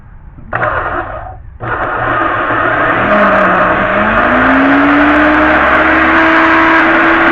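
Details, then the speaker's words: Homemade 1970s electrical tester with series bulb, used on a pressure-washer motor with pressure off: a short burst, then the motor spins up with a rising hum that levels into a smooth steady tone; bulb dims, showing correct power draw; runs normally. "If you see this bulb spins down a bit. So it tells you it's drawing the correct amount of power. And as you hear, she runs."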